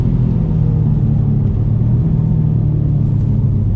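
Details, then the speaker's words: Stage 3 BMW F90 M5 with hybrid GTX3076R turbos and methanol, on a high-speed runway run: a heavy, steady roar of rushing air because the under tray was catching on the bumper. "not doing us any favor i can hear that wind noise straight away it's just catching on the bumper now"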